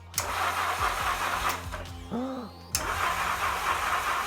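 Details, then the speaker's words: Yamaha XJ650 motorcycle being rewired with a Motogadget M-Unit, spark confirmed but no fuel yet; short bursts of starter whirring as the engine cranks, never catching or firing. "So we have spark. All we need now is a little bit of fuel and hopefully we can fire it up."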